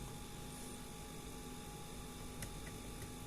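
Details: EGS 002 inverter kit after replacing failed transistors, tested on a 1300 VA toroidal transformer at standby load with 49.97 V battery: faint steady low hum with light hiss, no buzzing or crackle; transformer sounds normal on light load.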